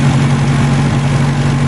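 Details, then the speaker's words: 2002 in Verona red, four-cylinder, idling warm with temperature reading normal (tachometer not working). Steady, even low hum with no misses, knocks or ticks; smooth healthy idle. "guys listen to this motor this motor is absolutely in perfect condition"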